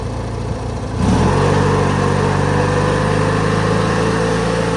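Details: 2003 Craftsman (AYP) DYT4000 lawn tractor (hydro, electric PTO, GT5000 hood), engine starts right up, may need choke; catches in about a second and holds a strong, steady drone with even firing, no stumble. Normal running; charging positive afterward.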